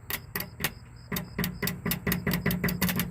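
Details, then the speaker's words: 1973 Dodge ramp truck, abandoned, starter on it since about 2005; rapid sharp single clicks at starter with no cranking or turnover; starter found bad and replaced under warranty. "can hear it click sometimes down there, but it's not doing anything."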